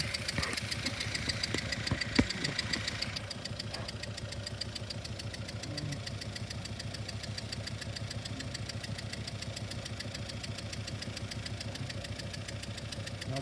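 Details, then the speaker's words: Idling engine recorded by microphone, with the scope triggered from ignition: sharp, regular puffing tick on every firing of cylinder three, where a small compression leak was deliberately opened; that cylinder misfires. "we had a bit of a you can see it right there a little bit of a air valve right off the um the cylinder number three which makes sense because you could look at a you could cylinder three and you could see that I opened up a little air valve and I got a little the compression"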